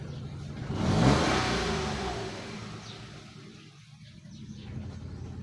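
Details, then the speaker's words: 2022 Toyota Wigo with low idle after a battery replacement: even after fault codes were cleared, it revs up and sinks back to a slow idle that barely holds, staying around 500 rpm with the AC on. "Medyo mababa pa rin ah reve natin. Wala na siyang full code. Clear na natin. Pero mababa pa rin yung menor."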